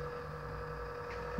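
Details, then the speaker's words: Xbox One console that has made this noise for some time, heard near the power supply underneath: a steady low hum with a fixed tone, cause unknown. Abnormal hum. "Tá aí, pessoal, meu Xbox One. Já tem um tempo que tá fazendo esse barulho. Aqui embaixo fica a fonte dele aqui, ó."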